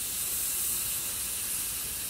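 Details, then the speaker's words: New AC condenser on a 2016 Honda CR-V during compressor and condenser replacement: short steady airy hiss as the 10 mm protective plug is removed, air rushing in; sealed, pressure-tested part still holding vacuum. "it's actually I can feel a vacuum as I remove this plug so that gives me some confidence in replacing this condenser knowing that this part was in fact pressure tested"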